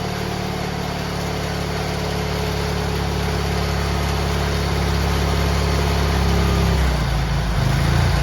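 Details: GT18 garden tractor twin, carburetor refitted and repairs done, air cleaner still off: steady deep drone holding speed without hunting, note shifting near the end; previously it flooded and chuffed smoke past half throttle once warm.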